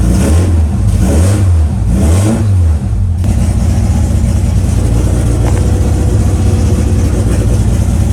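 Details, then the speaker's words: Mitsubishi DSM 4G63T running E85, just converted from solid to new hydraulic lifters, cranked with no ignition: lopsided, uneven cranking beat; sounds down a cylinder, owner suspects lifters lacking oil, compression test planned. "all right well if you heard it cranking it sounds like it's down a cylinder which either is there's no oil in maybe two of those lifters so i'm gonna have to probably do a quick compression test just to see"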